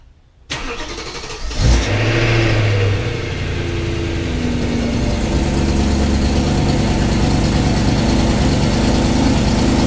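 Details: BMW E93 M3 with 6-speed manual, cold start after 7 days sitting: starter catches, revs flare then settle to a steady fast cold idle, without the usual driveline clunk after pumping the brake six times and shifting N to 1 and 6.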